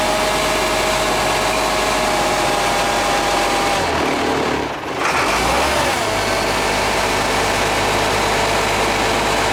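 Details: Freshly rebuilt International DT466 diesel cold started at 1°F without block heater plugged in, batteries possibly weak: loud, even diesel clatter with brief rev dip midway that recovers smoothly; runs steadily in the cold.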